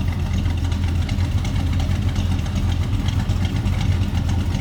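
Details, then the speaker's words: 1972 Chevrolet C10 pickup V8, heard from the rear while idling: deep, smooth, even burble with a steady beat and no misses or knocks; a healthy, normal idle. "that's a good sound of truck listen to that"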